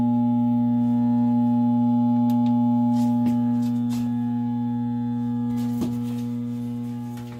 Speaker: we got our heater here, and you can hear it's just a humming away, and it's trying to start. It is, but it just can't.